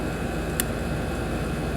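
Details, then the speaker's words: AC outdoor unit being troubleshot for a suspected bad capacitor, running after power restored: steady, even low hum with condenser fan rush and one brief click, compressor and fan running normally, no cycling or stalling. "I can hear the compressor keep on. We're going to check uh for uh amps and I can feel the heat for the fan condenser fan."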